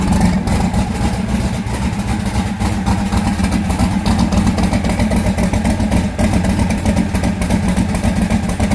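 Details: Austin's car at idle, cylinder not firing per temperature gun, coil, spark plug or injector suspected: loud lumpy uneven loping idle; misfire, two cylinders dead.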